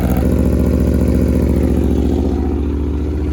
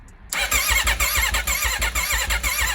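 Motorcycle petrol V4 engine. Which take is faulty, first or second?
second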